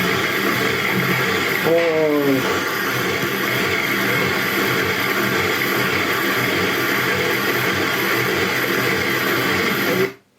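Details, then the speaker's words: BMW 318ti petrol engine with fault codes 2E95 (DME/alternator) and 2D0F: fast idle with a wavering hollow drone that never settles; unstable high idle from a faulty MAF sensor, one replaced months earlier. "Ahí escuchabais lo mal que sonaba ese motor."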